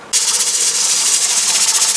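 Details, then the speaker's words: Presto pressure canner holding 7 quarts of potatoes, stove still on high: loud continuous hiss with a fast rocking flutter like a steam engine as the weight rocks hard and vents a lot of steam; the heat is too high and must be turned down. "Okay, now you can see this is rocking back and forth pretty good. It sounds like a steam engine going. And there's a lot of steam coming out of there. Now we're ready to turn down our temperature."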